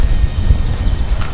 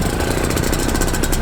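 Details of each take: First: Two-stroke paramotor engine, test start in rain before the first flight, after earlier exhaust problems: a strong, even low drone with no misses or scraping; it is running cleanly and sounds much better. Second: Paramotor during the run-in, warmed up, cylinder head temperature 180: the engine runs hard, then sags and stops within seconds; the fuel pulse line had come off the engine, starving the carburettor of fuel.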